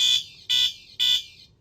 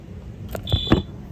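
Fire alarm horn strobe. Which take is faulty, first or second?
second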